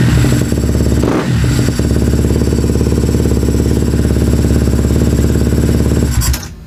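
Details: A KTM motorcycle that had shut off with no spark, run after the pickup coil (stator) was replaced and the bike reassembled. It fires and holds a fast, even single-cylinder beat with no misses for about six seconds, then shuts off cleanly.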